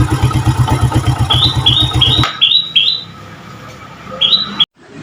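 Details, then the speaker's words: Yamaha Jupiter Z carbureted motorcycle that was hard to start cold in the morning, after carburetor disassembly: cold engine starts easily and idles evenly with no misfire or stumble; normal cold idle. "nah guys ini motornya enteng dan sekarang tidak susah hidup ini dalam keadaan dingin mesinnya masih dalam keadaan dingin"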